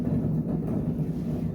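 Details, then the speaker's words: 2003 Honda Civic EX on a lift with its right rear wheel spinning, giving a steady low droning growl from a worn-out rear wheel bearing, before the hub assembly is replaced. "you can hear, that wheel bearing is toast. So that's what we're going to swap out today."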